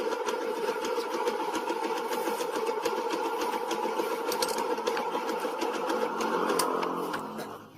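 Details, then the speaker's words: Old first-generation Yamaha Jupiter MX idling: rough, uneven clattering rattle when the clutch lever is released, smooth when pulled; suspected hardened rubber damper in the clutch housing, harmless but unpleasant. "Nah harusnya dia seperti ini halus tapi ketika kita lepas kopling Nah suaranya kasar"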